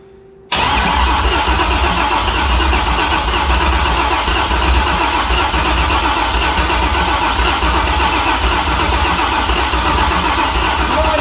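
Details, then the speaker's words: C6 Corvette with a junkyard engine on a Holley Terminator X, cranked again with the jump starter in jump start mode: long, fast, even cranking that never catches. Owner unsure it is getting fuel. "The motor was cranking faster, but still not. We still weren't getting it to run, so I'm not sure if it's getting fuel."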